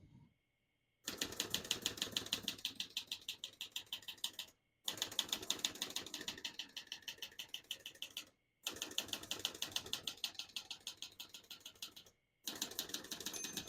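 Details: Serviced 1968 Olivetti Lettera 32 manual portable typewriter typing on single line spacing, crisp even key strikes about three a second in bursts with short pauses at each line: clean, healthy normal typing.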